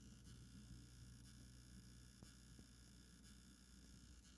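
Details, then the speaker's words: Nitecore UMS2 lithium-ion charger on a Quick Charge 2.0 supply: low steady electrical buzz with faint high whine as a new cell is inserted, screen backlight flickering, showing zero milliamps; charger buzzing, not charging. "every now and then when I insert a new cell the screen would Flicker and you will hear that buzzing noise right there"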